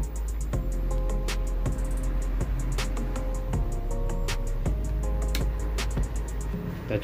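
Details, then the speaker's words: Powered speaker playing music cleanly with punchy bass and no hum, after replacing the failed TDA2030 amplifier IC that caused the humming (transformer previously replaced for a dead unit). "Setelah penggantian IC TDA ya, 2030 ini ya, kita coba apakah suaranya masih mendengung ya. Kita coba colokan. Oke, suaranya sudah ada ya."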